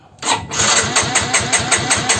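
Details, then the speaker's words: Yamaha X-Ride fuel-injected scooter that won't run: the fuel pump doesn't hum and no lights or horn work. The starter turns the engine steadily but it never fires, and the coil spark test over a 1 cm gap shows no spark. "di double starter pun ini nggak keluar pengapian"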